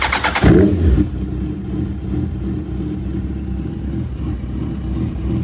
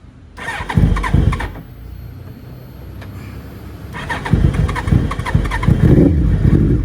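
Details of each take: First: Suzuki Hayabusa that had sat for months, idling rough with a misfire, after fuel filter replacement, injector seal fix and replacing a dead injector: throttle blip then even, steady idle with no miss; normal running. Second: Suzuki Hayabusa motorcycle left standing a couple of months, on choke/fast idle: it cranks, catches, then idles fast and unevenly with a lumpy beat, misfiring and running on three cylinders; fuel filter and injectors to be serviced.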